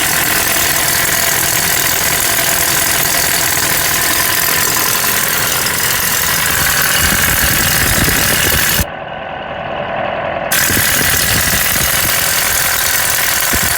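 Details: 1994 Nissan Hardbody truck at idle: a loose, uneven knocking about three to four times a second under heavy hiss. Engine knock.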